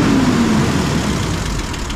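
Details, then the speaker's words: M8 Greyhound six-cylinder engine after distributor and ignition overhaul, idle speed lowered and idle mixture being set: even, steady idle rumble with no stumbles or ticking; idling cleanly. "sounds like the engine is revving a little bit too fast so I'll drop the ID speed down a bit that probably sounds a bit more appropriate"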